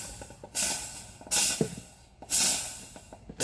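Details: Mondial electric coffee maker, previously lit but not heating, now repaired: loud bursts of steamy hiss about once a second as water hits the hot element; normal heating.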